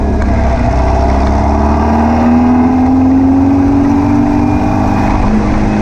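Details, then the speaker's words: VW beach buggy on a road test after clearing the blocked idle jet in the driver's-side carburettor and rebalancing the carbs: a steady, even note climbing smoothly with speed, with the popping cured and idle slightly fast. "right seemed to have cured all the popping and far in kicking over a little bit on the fast side but it's running so hopefully"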